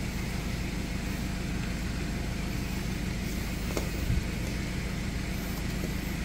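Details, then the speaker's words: Starter motor from a John Deere X340 riding tractor, being revived after mice lived on the engine, bench-run after its contact surfaces were cleaned: a steady, even whirring hum with no grinding, clicking or dragging. The cranky starter is fixed and spins freely. "look at that look at that folks and that is how you can redo a cranky starter on a John Deere x340."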